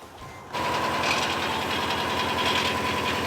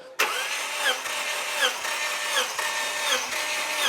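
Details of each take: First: Subaru Outback XT turbo, one owner, just fitted with a new battery, started outside in the cold after a long crank: fast clattery, rattly idle; owner suspects the rusty exhaust, a failing turbo, or the engine bottom end. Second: Turbo Subaru Outback XT, one-owner, compression test via remote starter button with a spark plug out (plugs nasty): steady even cranking pulse, no misses; cylinder 1 reads about 130 psi, above normal compression.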